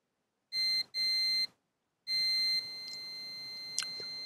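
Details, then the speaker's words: Manta SPK15GO Bluetooth speaker mainboard, power disconnected, multimeter continuity on the first capacitor: two short high beeps then a sustained steady beep; short is somewhere ahead, the coil appears good, and the short clears when the coil is lifted. "Czyli kurcze zwarcie jakby jest gdzieś przed i teraz pytanie to co jest nie tak"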